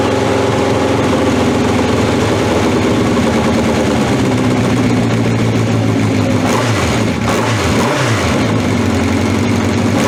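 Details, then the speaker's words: 1982 Honda CB750 K running on old, stale gas with fuel tap left off: loud running with uneven speed and sagging dips as it stumbles, easing once the gas is turned on. Fuel starvation stumble. "as you can hear it stumbles and fumbles and everything else"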